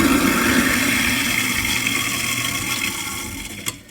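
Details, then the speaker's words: Dishwasher drain cycle after a broken fork piece was cleared from the sink air-gap diverter; water rushes over a steady motor hum that fades as the sink empties, pumping through the disposal and out the drain line, normal sequence. "So this is the normal cycle. And water's pumped out. You hear it going through the drain, going into the disposal, and then out the drain line. That's the normal sequence of operation."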